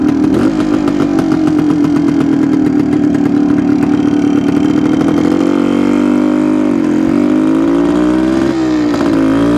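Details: 1972 Suzuki TS250 two-stroke, possibly still cold, choke used at start: steady drone that dips and bogs each time throttle opens, won't transition idle to one-eighth throttle; off-idle hesitation, owner suspects plugged pilot jet.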